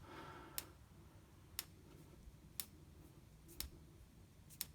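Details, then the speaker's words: Coil-on-plug ignition coil on a bench with a 12 V supply and ground, triggered by a small signal generator slowed from 5 Hz to about 1 Hz: sharp, evenly spaced single spark ticks about once a second in a quiet room. It is sparking normally. "you can certainly hear it it's sparking away so our coil assembly has the 12 volts supply of course a ground"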